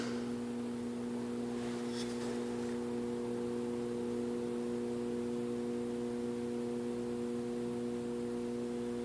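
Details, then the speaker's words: Garage door opener hums steadily with lights coming on when the remote is pressed, but the motor doesn't turn; not a drive gear problem, failed start capacitor. "you can hear, it's humming, lights coming on when I press this remote."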